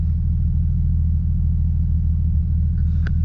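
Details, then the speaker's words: Car that had a misfire and vacuum leak, after spark plug check and hose replacement, warming up: low, even rumble at constant speed with no RPM surging or stumbling; healthy idle. "With the RPM starts going up and down, that means it's still acting up. But right now they look good. But right now it looks good."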